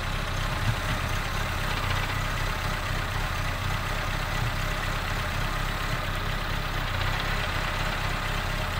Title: Car With 1 Broken Cylinder Sounds Like an Wankel Rotary Engine